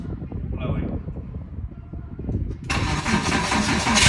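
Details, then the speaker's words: Porsche Boxster 987 after new exhaust install: engine cranks and catches, settling into a deep, even, sporty burble with no rattles or misfires. Not over the top; healthy, normal exhaust note. "Sounding really nice, actually. Really sporty sound to it. Not over the top, even though the straight pipes sounded epic."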